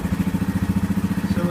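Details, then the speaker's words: 2015 Yamaha Grizzly 550 ATV, about 100 miles, about 20 hours, formerly dying in park and barely cranking; fresh spark plug just fitted: no throttle, not choking out, steady single-cylinder thump about eleven beats a second, clean healthy idle. "It does not seem to be choking out. I have not given it any gas. It is idling."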